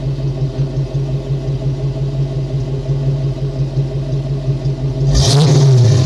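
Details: Ford small-block 302 V8 after vacuum leak and sticking EGR fixed, smog and cat deleted; deep, even burble at idle, then clean surge as throttle opens, no stumble or rattle; normal revving.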